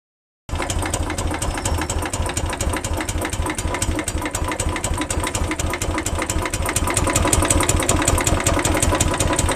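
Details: 2012 Royal Enfield Classic 350 single-cylinder motorcycle at idle: loud, rapid metallic ticking clatter over the low thump, abnormal engine noise of unstated cause.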